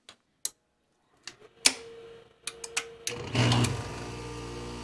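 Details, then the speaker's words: Heat pump AC compressor drawing about 9.8 A running, started from a Flex Boss 21 inverter without a soft start: a few light clicks, then it kicks in and settles into a steady low hum; it started but strained. "All right, let's see if my Flex Boss 21 can start this compressor without a soft start. Okay, here it goes. Okay, it did. It didn't sound super excited about it."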